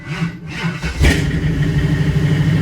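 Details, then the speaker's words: LS-swapped Toyota Prius V8 with an old, previously fully dead battery, cranking hot: starter drags slowly and laboriously for about a second before catching into a rumbling idle; starts fine cold, owner suspects the battery. "Yeah. If you hear how it kind of struggles. So, hopefully that'll fix our issue."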